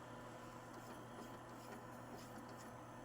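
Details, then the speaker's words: PlayStation 2 disc drive after lubing the laser rails during restoration; steady low hum with soft even whirring and light ticks as the laser sled moves back and forth, now reading normally and sounding as it should. "Oh, that sounds so much better. And I don't mean like the as in that's gone. I mean I can tell it moving back and forth, the laser back and forth sounds better. Oh, yeah. That's how it's supposed to sound."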